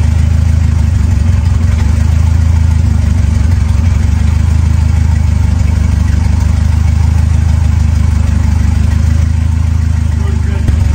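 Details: Ford 2.3L turbo Lima four-cylinder swap on a PIMPX batch-fire engine computer, just started and warming up before base timing is checked against the computer setting: deep, steady, even idle with no stumbles or misfires; normal idle.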